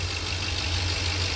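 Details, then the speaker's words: 2009 Ford F-150, 4.6 L 2-valve V8 (engine code W), 110,000 miles, after cleaning the gummy throttle body: steady, even idle with no stumbling; previously stalled at idle without codes after a long snowstorm idle. "let's start it up and just like that guys it is fixed I will be honest with you I thought this was a hokey three pair I didn't see it working"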